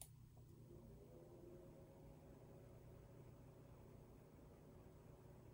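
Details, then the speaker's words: Galax (KFA2) RTX 3080 SG graphics card, stock fans at 30% before replacement with Noctua NF-A9 92mm fans: quiet even low whir with soft hum, no clicks or rattles. The fans run normally, but the owner dislikes the sound. "now it's not that i actually think it's too loud it's just that i don't like the sound that it is producing"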